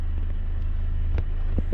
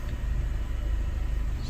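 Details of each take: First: EF Honda Civic sedan after re-timing: steady, even idle with no hesitation, misses or knocks, air-fuel ratio back at 14.7 and no fuel smell. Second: EF Honda Civic sedan at idle, with the microphone held up close: low steady idle rumble with a fine, even shudder, a persistent vibration of unknown cause although the engine idles fine.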